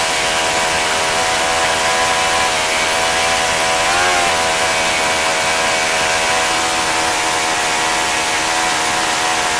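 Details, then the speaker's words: Saito FA-65 four-stroke model engine at low throttle, high-speed needle set for flight: high buzzy drone, slightly soft and uneven; idle mixture too rich, engine died when taken toward ~2500 rpm (reliable idle had been ~3300 rpm). "but when I went down that low it just died because it was too rich"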